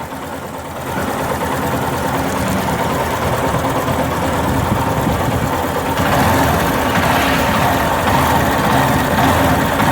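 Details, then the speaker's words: Yamaha Fazer 250 running: light rapid top-end tapping that stops when the cam chain tensioner is backed off anticlockwise with a screwdriver, confirming a faulty cam chain tensioner. "sentido anti horário pra ver se o barulho para se parar o barulho é porque realmente é aqui o acionador da corrente"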